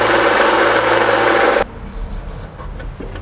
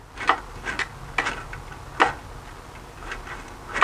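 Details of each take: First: Harbor Freight belt sander after a minor rebuild to fix loud running, vacuum duct fitted: steady, even whir with no knocking or rattle for about a second and a half; running smoothly. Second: Harbor Freight belt sander during rebuild, after filing and balancing parts: sharp, uneven clanks every half second to second as it turns; a loose internal part flopping as it rotates.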